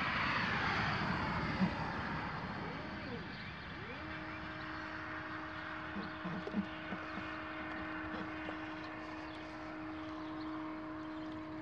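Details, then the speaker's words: Astro-Physics Mach2 equatorial mount at 600 Go-To speed slewing from west side to park position 3: motors ramp up then clean steady hum, no rattle or vibration; RA-axis vibration otherwise occurs at 1000 and 1800 rates going west to east. "yeah no nothing coming out of that yeah no vibrations"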